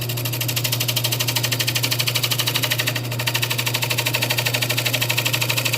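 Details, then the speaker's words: Wood lathe turning a bowl from a junk poplar slab: steady hum with an even thump about three times a second, once per turn; owner suspects the blank has warped slightly, so it runs out of true. "you can hear that wobble in it I think our piece has warped a little bit"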